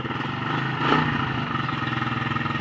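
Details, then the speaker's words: Chinese 100cc 4-speed clutchless pit bike, cold start, carburettor being adjusted: small single putters unevenly with a lumpy beat and brief rev blip; rough running, owner suspects the carburettor needs cleaning. "I don't rev it up too high it doesn't sound right doesn't sound good right now this card needs to be clean clean"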